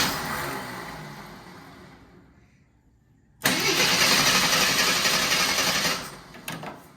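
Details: AMC Eagle after a further idle mixture adjustment, suspected to be too much: the engine labours and fades out, then catches with a harsh, uneven run before settling. Poor starting.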